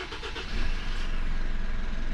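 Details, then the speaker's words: Mitsubishi Triton MR diesel, fuel system primed with ignition on to bleed air: cranks briefly, catches within a second, settles to steady even idle without dying; normal start and idle. "that allows you to bleed the air out of the system and it will start and run without dying"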